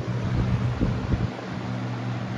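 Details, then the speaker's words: Lasco PSC box fan motor at 124 V: low steady electric hum under a soft rush of air, even, no rattles; runs normally and slightly more powerful. "There we go. 2.1 amps, 196 watts. Power factor is only.74. It's definitely a little bit more powerful."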